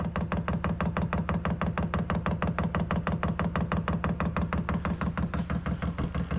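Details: Newly installed Chinese diesel heater on 12-volt wiring, first start-up: steady blower hum under fast, even fuel pump ticking with no misfire or stumble, blowing hot air. Normal start-up.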